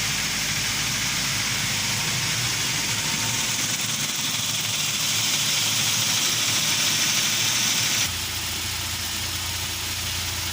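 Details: UAZ Patriot engine at idle: steady idle with a fairly even sharp tapping, roughly three per second, over the engine hum; engine knock at idle, cause unknown.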